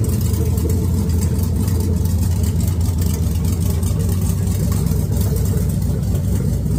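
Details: First fire-up of an LS V8 swapped into a Chevy S10, run on a red/green computer with a red/blue harness: deep, steady, even V8 idle burble with no knocks, misses or ticks, sounding healthy and settled.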